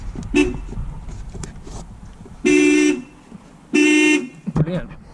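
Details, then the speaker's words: Mk2 Toyota MR2 sat 14 years, being recommissioned, after replacing a blown hazard/horn fuse: two firm horn blasts of about half a second each, steady and full-toned; horn now works. "let's start with that at least we can claim victory that we have hazards and a horn which would be nice they are required for mhc of course"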